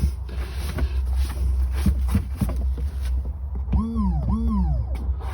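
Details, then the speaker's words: Thetford C260 toilet flush pump, refitted and rewired after removal and a fix with no new parts, when the flush had not worked: steady low electric hum, no stutter or labouring; pump working fine, better than ever. "So plug goes one side, power goes the other side, and as you can hear, that's working fine."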